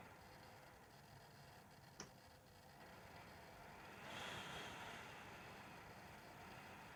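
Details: Dell WD19TB USB-C laptop dock about two months old, computer mostly idle: sharp electrical click, then fan surges randomly from 0 to 100% like a leaf blower; erratic fan and clicking, cause unclear.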